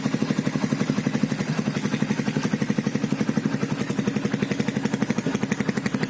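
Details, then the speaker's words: 2012 Yamaha Byson carbureted motorcycle after cam chain replacement and oil and filter change: steady even idle about three firing pulses a second, smoother than before, no chain rattle or clatter; normal idle. "Ayo kita starter Nah ya kan bunyinya itu lebih halus dari sebelumnya"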